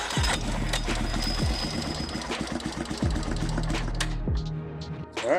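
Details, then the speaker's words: Single-cylinder Warrior 350 revived from a junkyard, with leaking carburettor and oil leaking out: it cranks, catches and settles into a steady quick thump with revving. Valves were found out of adjustment. Normal running. "well I'd say that was a success yep there goes all the oil out of the motor but that's okay"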